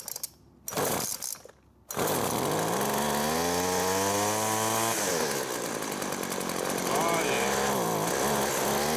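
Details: Craftsman two-stroke weed whacker after fuel line replacement and priming: after a couple of pulls it catches, revs up in a rising buzz, then holds an even idle; normal running.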